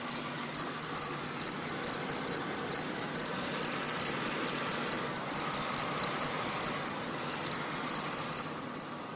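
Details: Mercedes-Benz engine at cold morning start: sharp high chirp repeating about twice a second over quiet idle, gone after 10 minutes; weak belt tensioner pulley or idler pulley suspected, not confirmed.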